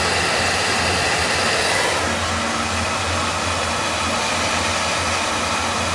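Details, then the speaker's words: Oil burner running after being tuned, with the air band pulled back and a reading of 500; steady, even roar of flame and fan with no surging, pulsing or rumble. It sounds pretty good: normal, clean burner operation. "We sound pretty good."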